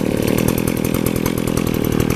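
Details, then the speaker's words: Warmed-up McCulloch 610 24-inch chainsaw, about 1980, carburetor rebuilt a couple of years ago with a new fuel line, gummed-up carb after stale gas: crisp, even two-stroke popping at about ten beats a second, clean idle. "Let's see if it starts up. That's just on idle, so now that it's been running, it's cool."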